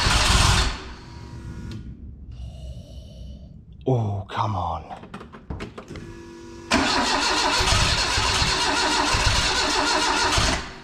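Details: Renault 5 GT Turbo van on a Max ECU. The starter spins the engine in long even bursts but it never fires. Owner suspects the injector scaling is wrong: set for 600cc but now fitted with 150cc injectors.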